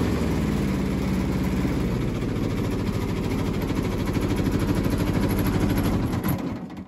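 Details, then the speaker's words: Kubota T1600 diesel lawn mower with small two-cylinder engine, after deck rebuild, blade touch-up and spindle greasing; smooth, even beat with a steady deck hum and no grinding or bearing noise; normal running. "that's how it should sound right there [Music] [Music] all right so i just mode with this thing for probably two or three hours"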